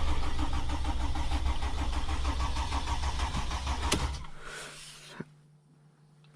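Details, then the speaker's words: Mercedes Sprinter diesel van, front end being taken apart for oil cooler seal leak work: about four seconds of steady, rhythmic cranking before the diesel catches; a slow start that takes a while, cause not known. "time i tried to start it i couldn't really hear it in the camera and as you could tell it takes a while for it to start"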